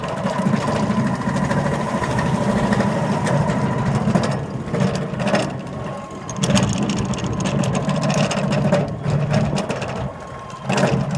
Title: loose belts or bad bearings ???????